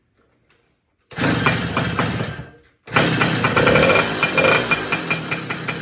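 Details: 1966 Ward's Riverside (Benelli) 50cc Italian moped, motor rebuilt after seized bearings, catches after a short pause and runs with an uneven buzzing putter and a few revs; running fine.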